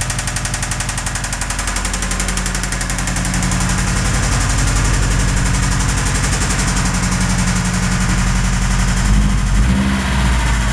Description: This is my 2005 Subaru WRX with a bit of rod knock.